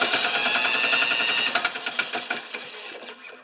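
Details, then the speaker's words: New Chinese-made 150cc mower engine spun over with a drill: sharp metallic ticks about three to four a second, fading as it slows; knocking heard, source unclear, flywheel check follows. "I'm gonna spin it with that drill now foreign plug in I don't think it's got the jam guys oh there it's the knocking"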